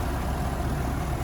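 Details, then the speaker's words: 2017 GMC Sierra 1500 Denali, hood open: steady, even low rumble with no knocks, ticks, pulley squeak or whine; engine idling smoothly and healthy. "Sounds good. It's not making any weird sounds."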